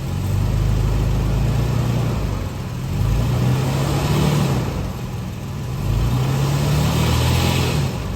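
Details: Late-model Toyota Tacoma in gear under load after a clamp was refitted with a bolt: a steady, smooth engine drone with no metallic rattle; sounds healthy.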